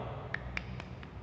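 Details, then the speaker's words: Citroën C3 suspension: sharp metallic clicks, about four a second, as the loose, torn ball-joint terminal is rattled by hand; worn ball joint with excessive play causing the suspension knock. "vamos ver se consegue ouvir o barulho esse barulho é justamente a folga"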